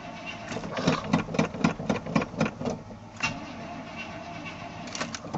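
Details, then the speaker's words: 1986 Chevy Silverado cold start after sitting about three weeks, nearly out of fuel: engine stumbles into idle with short chirping squeals for the first seconds, then settles; owner blames the GM alternator, suspected not confirmed. "lovely GM sque omatic alterator mother other E6 truck does same thing"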